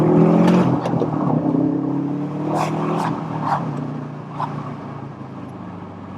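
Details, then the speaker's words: UK-spec Subaru Impreza STI, forged 2.5 boxer, remapped to just under 400 hp, accelerating in second gear on damp roads: deep, uneven boxer burble rising under load with a smooth pull and no misses; healthy. "It's very responsive for just under 400 horsepower, I was told by the owner, and you can tell it's got a kick. So second gear, and you can hear the Scooby here now as well."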